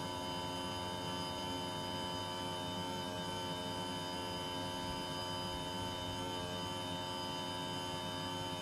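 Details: Panasonic split-system air conditioner abnormally noisy: constant droning hum with a steady whine on top, unchanging over several seconds; cause unknown.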